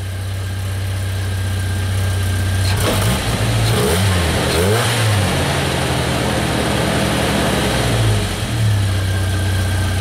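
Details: Jeep Wrangler TJ that had a high idle and check engine light, after replacing the throttle position sensor on the throttle body; steady low idle, a brief throttle blip dropping straight back to an even idle; normal idle.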